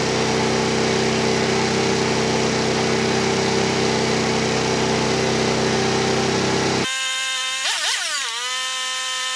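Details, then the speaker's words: Tao Tao Pony ATM 50 scooter, 50cc GY6 139QMB engine, newly assembled, first cold start: fast, even buzzing idle held well above normal by the auto choke; idle speed too high, to be set to factory spec. "all right so start it up you can tell the idol is really really high I'm gonna hook up my tachometer and adjust the idle speed to the factory recommended specifications"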